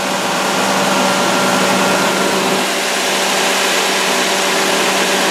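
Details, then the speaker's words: Old Nissan pickup idling with a loud continuous unchanging hiss over the idle; two open vacuum line holes and a busted vacuum line found, suspected air being sucked in, not confirmed. "Look at it's got a busted vacuum. Vacuum holes. Now there's two vacuum line holes."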